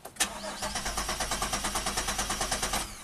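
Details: 2007 Chevy Equinox AWD, 35k miles, after fixing a no-crank (blown fuse); starter spins the engine evenly, about three compression pulses per second, but it never catches; no fuel from the pump.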